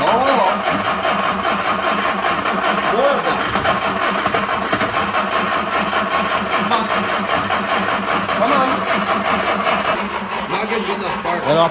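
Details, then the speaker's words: 1961 Mercedes-Benz 190, sat 35+ years with the engine previously locked up. Steady rapid starter churning goes on for the whole stretch and never catches. Long crank, no start; the starter is getting hot, and cleaning and checking the plugs for spark is suggested. "stop you're overheating the starter you shouldn't crank it that long getting hot"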